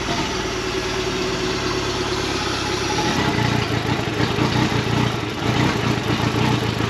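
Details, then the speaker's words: 2017 Suzuki DF115 four-stroke outboard on flush hose, way overdue for service, stalling: uneven lumpy idle with irregular stumble; carbon-fouled plug, running rich for unknown reason (maybe injector), misfiring. "It's got some uh carbon built up on it. It's running a little rich there for some reason."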